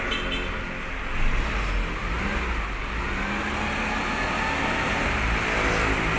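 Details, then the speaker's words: 1994 Suzuki Katana GX after service with new exhaust fitted: steady, even exhaust rumble outdoors, no puffing or ticking from leaks; smooth and back to stock sound. Normal exhaust note. "Hai dan suaranya sekarang halus masehi gacor Masih gitu loh"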